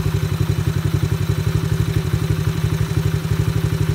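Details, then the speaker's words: Coolster 125 Chinese ATV single-cylinder, air/fuel mixture screw returned to peak-RPM setting after it fell off: idle thumping firms up and picks up again. "Picking up."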